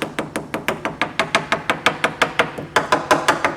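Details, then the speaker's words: Bellanca aircraft wing, tap test around the landing and taxi light opening, an area prone to rot: about three taps per second, solid elsewhere but duller in the corner, suggesting possible rot underneath; not confirmed. "And you can hear, as I come into this corner, you can hear the tapping sounds a little different. You hear how it's nice and solid there, and then when I get here it sounds a little dull."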